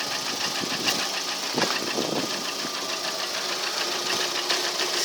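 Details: Lada Priora engine one year later, only oil changed: light, rapid ticking knock over steady idle, no change in tempo; unexplained engine knock, source unknown.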